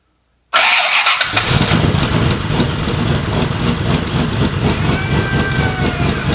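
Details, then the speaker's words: Rebuilt wrecked Cobra engine's first start, starter getting dirty and due for replacement: brief crank, catches at once, settles into a steady even idle with no misses or knocks; temperature, oil pressure, oil temperature, water temperature and fuel pressure all good. "car runs things look good we got temperature we got oil pressure we got oil temperature we got water temperature fuel pressure so motor runs sounds good"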